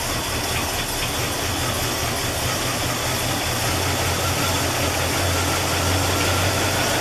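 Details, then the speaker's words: 1984 Chevrolet El Camino Conquista V8 after fuel leak repair, cranked to fill the float bowl: starts easily into a steady, smooth idle with no misses or surging; no leaks seen underneath. "all right well that was a lot easier than i thought"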